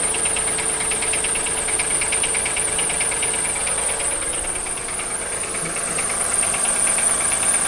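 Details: 2003 Acura MDX V6, 208K miles, misfires on all six cylinders: quick regular tapping about three a second over a quiet idle with high hiss; cause unknown, suspected jumped timing tooth, wrist pin or rod bearing; valves unadjusted, water pump sounds bad.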